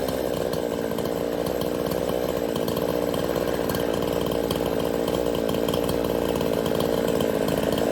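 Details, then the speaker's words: Craftsman S205 chainsaw, freshly ported, on its first start with the air filter still off: a high, raspy two-stroke buzz held steady at high revs, crisp and even without stumbling or surging. It runs well. "Well, there we go. She's running. Sounds good. Sounds real good."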